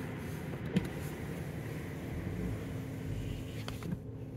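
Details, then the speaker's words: Engine off, ignition on: the electric suction fan (M4/7) is run by a YOUCANIC scanner active test, load raised from 50% toward 90%, then lowered to 10%. A steady whooshing fan rush over a faint motor hum. The fan runs normally. "you can hear the fan and then you can go down all the way down to 20% 10% actually"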